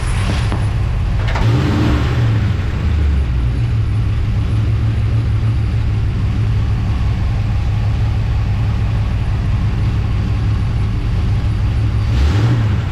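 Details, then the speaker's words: Oldsmobile Cutlass V8 with carburetor AVS door adjusted for bog and copper distributor advance springs, timing retarded after spark knock, now about 25–26° at idle and 38° total: a steady, even idle around 800 rpm with a smooth low beat and no ping, stumble or miss. "okay so what I have is about 25 or 26 at idle and um I have 38 total which makes sense with the Copper Springs"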